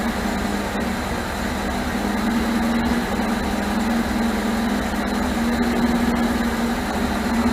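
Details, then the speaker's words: 1978 MGB after rebuilt carburetors were fitted and the ignition points deleted. Uneven, loping, unsteady idle under a high hum. It finally runs after the distributor was turned, but rough; the owner suspects the distributor needs more adjustment. "so I was able to get it to finally sit here and run. It's not the greatest, but I think I'm still gonna have to do a little bit more turning on that distributor."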